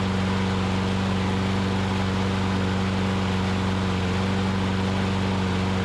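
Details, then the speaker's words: Older Troy Bilt push mower after repair (governor spring moved to correct location and tensioned, dry-rotted broken carburetor bowl O-ring found as the fault): steady, even small-engine drone with firm low hum, no hunting or surging, holding speed smoothly; normal running. "so that was the issue with that so we had the spring was in the wrong location on the governor and the dry rotted and broken o-ring gasket for the carburetor bowl"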